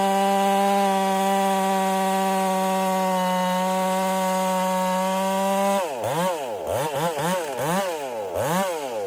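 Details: Ported Husqvarna 385 chainsaw during break-in, tune left slightly rich with a little top-end burble, cutting very hard oak: strong steady high note at full revs in the cut, dropping and rising as it eases out; normal cutting under load.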